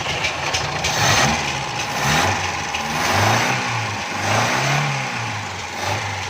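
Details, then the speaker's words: Carbureted petrol car after replacing a hardened, pinholed fuel hose that let air in and caused misfiring and jerking: engine idles and revs cleanly with no stumble, miss or surging; normal running. "और सबसे इसकी मेन वजह ये थी, ये रास्ते में गाड़ी थी, तो ये गाड़ी एयर ले रही थी, छोटे छोटे सुराख थे पैप में, जिसकी वजह से ये गाड़ी झटके भी लगा रही थी और गाड़ी मिसिंग भी कर रही थी। इसको अभी पेट्रोल सही मिलना शुरू हो गया है।"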